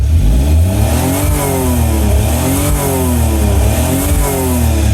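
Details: Autozam AZ-1 Suzuki Cara, cold and just started, throttle held down: revs in repeated pulls that stall at the same point, holding at about 4000 rpm; the cut-off is worse when cold.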